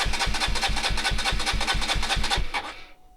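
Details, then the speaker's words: KTM RC125 on the bench in neutral: even starter chugging about five beats a second for two and a half seconds, never catches, then winds down; cranks but will not fire, cause not yet known (kill switch, fuel pump to be checked). "so it's turning over but it's not firing let's think about what's the possible causes for it to not run"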